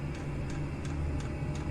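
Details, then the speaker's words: Chinese diesel heater heating a garage, running on kerosene on setting two: its fuel pump ticks softly about three times a second over a low hum, slowing once it reaches set temperature; normal fuel pump ticking. "there you go that's slowed down now just as I said and that'll just tick away nicely on on setting two all day"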